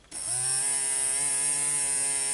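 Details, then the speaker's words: Small DC motor fed 3 V from a bench power supply spins up almost instantly to a steady, even high whir with constant pitch and no rattles; it is running normally. "yo lo voy a aplicar ahora 3 voltios en el cable que tengo conectado ale a la fuerte alimentación y van a ver como girar ahí se escucha el motor como va girando"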